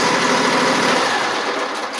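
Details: Small single-cylinder mower engine cranked on a new Tykool 480CCA lithium battery catches and runs at a steady, even buzz with no knocks or misses; plenty of cranking power, normal running.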